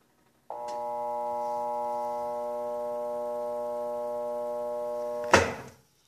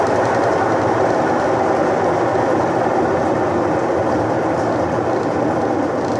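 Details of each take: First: Electrolux washing machine that makes noise but won't spin: steady electrical hum about five seconds with no spin-up, then a clunk; motor tries to start but stalls. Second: Electrolux washing machine after locating the faulty capacitor wire: steady, even whirring rush with no knocking or scraping; the drum spins up and holds speed normally.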